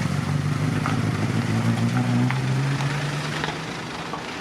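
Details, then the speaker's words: Mk1 Ford Cortina original 1200 petrol four-cylinder, revived after points clean, slight carburettor diaphragm leak: ticks over with steady low drone and light irregular pops, fading slightly; tired but running, normal running. "there you have it, it runs."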